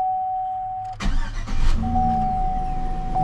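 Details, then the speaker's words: 2003 Chevy Silverado 1500 after fuel pump replacement, tested before refitting the bed: steady chime and the pump can be heard running, then a short crank catches and settles into an even idle; wiring correct, starts cleanly. "and as we can see I don't know if you can hear that but I can hear the fuel come coming so that means we have done this correctly wiring is correct"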